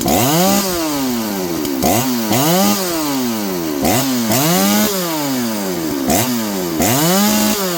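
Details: John Deere CS81 chainsaw, dull chain, after getting it running: revs climb and sag roughly every two seconds as it cuts wood, pulling cleanly without stumbling; normal running under load.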